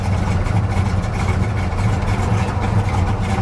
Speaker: she's running boy she's running rich but i'll tell you what you got to give it to the old girl she's sitting here purring like a kitten